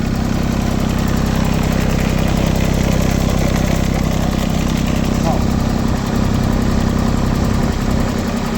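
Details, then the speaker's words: LeeBoy 1000 paver diesel after fuel-system repair for starting then shutting down: steady, even rumble at constant speed, no knocks or stumbles. Readings were about 2000 rpm, water temperature 80, battery 13 V, oil pressure good, no codes. Normal idle. "speed it up there charge test everything out look okay okay everything looks good"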